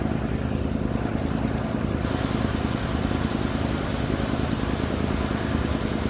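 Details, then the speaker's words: Mercury Cougar V8 being made road-ready, after a hose was rerouted; deep, dull rumble with muted pulses sounding held back rather than crisp, a choked, muffled exhaust note that the owner blames on the muffler. "muffler's really choking this poor thing. She needs to scream."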